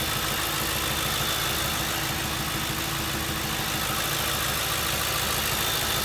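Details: 2007 Ford Crown Victoria idling with an uneven, stumbling beat of roughly three pulses a second under a hissy top end; engine misfire at idle.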